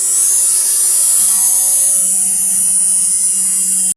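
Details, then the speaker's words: 3D-printed-housing 365 DC motor with a rotor fan, at 7.4V from two cells in series after a bearing failure was patched with hot glue: thin, shrill, steady whine, very fast, then cuts off; normal high-speed running. "Going really fast. You can feel a little air coming out."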